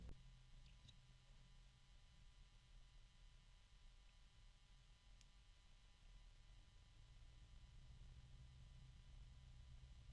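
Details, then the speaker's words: 1,350 RPM PC case fan (ordered as a 2000 RPM model) at close to its lowest speed on a fan controller: barely audible steady soft hum, very little noise, occasional slight clicking and low-pitch harmonic resonance. "okay so that's pretty close to the lowest speed I can get it and there's very little noise I hear a little clicking every once in a while here's some harmonic resonance and again fairly low pitch"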